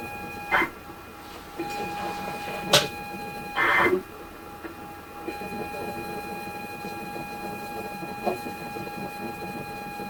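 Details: ZX Spectrum 128 +2 (borrowed) loading Football Director, internal drive faulty though computer otherwise runs fine; steady high tape tone with scattered bursts and clicks, data never loads; cassette load failure.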